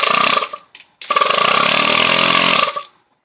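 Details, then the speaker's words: Bench test of a 2002–2006 RAM truck IPM, small DC motor simulating the starter: motor whirs in two bursts then runs steadily; starter relay circuit working normally. "see cranking like it's supposed to you can hear the relay if I unhook the motor here you can hear the relay clicking so I really don't think you have any kind of starter issue in your box"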